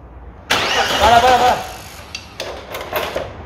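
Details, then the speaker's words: 1998 Audi A4 2.5 TDI (AFB) diesel after timing belt and water pump change: fires for about a second, roars briefly, then dies to a few clicks; injection pump fault (advance wire burned) causing start then stall. "bueno habéis visto antes el coche medio arrancar vale No arrancaba porque he tenido un problema con la bomba inyectora"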